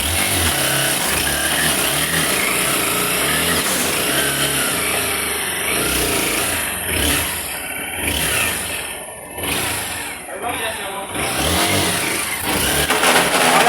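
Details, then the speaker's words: Honda XRE 190 motorcycle, engine running: intermittent rattly whir over the exhaust that comes and goes; suspected worn primary (clutch) shaft bearing, to be confirmed on teardown. "Então tudo indica que vai ser o eixo primário aí. O eixo da embreagem, o rolamento do eixo primário, né?"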